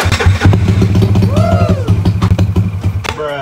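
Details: Yamaha scooter "Jagur" (NMAX mentioned) after its worn starter gear and one-way clutch were replaced; it previously would not start. Tested in the afternoon: the small engine starts and runs with a quick, even low beat and no knocks or grinding.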